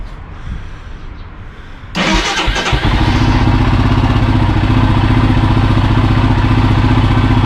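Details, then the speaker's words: Royal Enfield Himalayan single after stator replacement and battery reconnected: quiet, then the engine fires at two seconds and settles into a steady, even thump of about 220 beats a minute, running healthy. "Right, unless I'm very much mistaken, you should be able to start it up."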